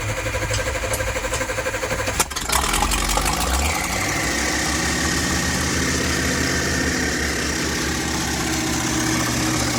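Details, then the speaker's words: Roughly 1983 Sportscoach RV with 454 big block, sat 12 years, with a zip-tied hand throttle; engine catches and races fast and steady instead of dropping to idle, suspected worn carburetor throttle shaft from 18 return springs. "The answer would be no. It's still idling at 8,000 RPMs."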